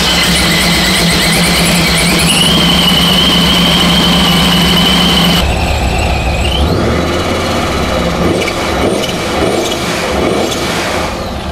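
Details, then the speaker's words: Boosted petrol engine on Holley Sniper EFI, after fitting a boost-referenced fuel pressure regulator to cure lean running under boost: fires and settles into a steady, even idle with a faint belt squeal. Fuel pressure is in range with excellent throttle response; a normal idle. "so there you go now you can see it does run pretty good the fuel pressure is right in the zone we got excellent throttle response"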